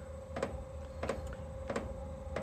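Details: Chinese 12V diesel parking heater on underpowered supply during ignition: steady fuel pump ticks about every 0.65 s over low fan hum while voltage sags toward 10 V, then low-voltage error shutdown.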